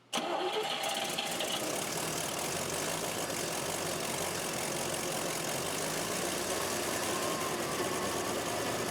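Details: Car engine's first start after engine and transmission install: catches quickly and settles into a steady, even run with no lifter tick from the top end; described as silent, like a brand new engine, paint burning off.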